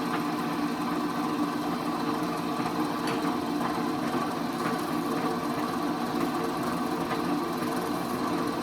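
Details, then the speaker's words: Old Rockwell Delta drill press after fixing severe spindle runout, bit fitted for testing: even, steady motor hum with smooth spinning whir, no wobble, rattle or knock; runout much improved though not yet measured with a gauge. "all right so that was a very unscientific method of uh testing the run out on that guy but i can just tell it's like it it's so much better"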